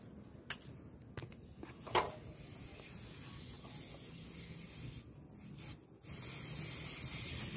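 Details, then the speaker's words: New minisplit air conditioner evaporator shipped charged with compressed air, not refrigerant; handling scrapes, then a sudden steady hiss as the cap is removed, showing the coil held its charge and has no leak. "Eso nos indica que tiene aire comprimido para que nos indique que no tiene fuga. Esto no es gas, lo que tiene del evaporador es solo aire."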